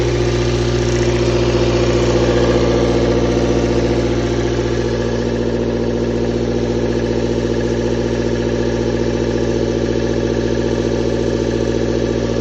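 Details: Toyota 4A-FE petrol engine at idle: regular light knock about three per second over the engine note; owner suspects camshaft or valves, source not pinned down.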